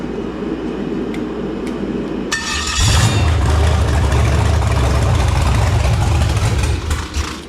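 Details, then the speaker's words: Carbureted engine on a run stand, fired on a cold night with a cheap eBay carburetor: a few clicks, then it catches with a deep rumble, runs unsteadily about four seconds, sags and dies; owner suspects a fuel problem, maybe too much throttle. "son of a bit I think we might have a fuel prompt issue in the gas all the way might be too much in"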